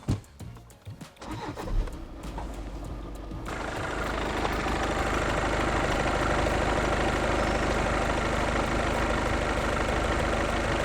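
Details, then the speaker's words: VW Golf 7 2.0 TDI with DSG, fully cold after standing overnight, started to check for dual-mass flywheel (damper) knock: the diesel catches and settles into an even, quiet idle with no knocking. Normal cold-start idle. "Ну що працює тихо не стукається вже добре значить а плюс 600 $ карман да тобто ну точніше не буде мінуса"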